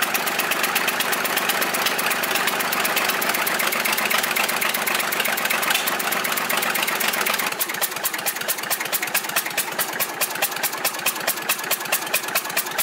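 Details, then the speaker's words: Volvo 320 tractor, Perkins indirect-injection diesel, first start after repair, valve cover off, no glow plug: sharp regular puffing tick about 140 a minute; combustion gas blowing past an injector seat. "injector b avem un injector care suflă pe lângă el să vedem dacă nu l dăm jos să etanșă cuir de"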